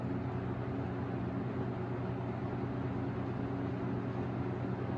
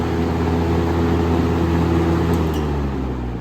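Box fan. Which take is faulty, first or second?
second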